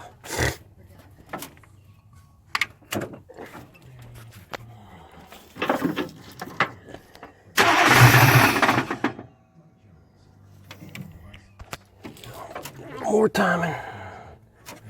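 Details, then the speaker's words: 1993 or 1994 Chevrolet Silverado Z71 with a swapped-in 350 crate engine and 4L80E transmission, first start attempt: ragged cranking bursts with a harsh catch and clatter, engine kicks back against the starter and never runs; cause unconfirmed. "is just keep kicking back something is definitely making a lot of racket"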